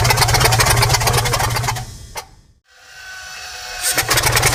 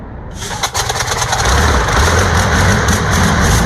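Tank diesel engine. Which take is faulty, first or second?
first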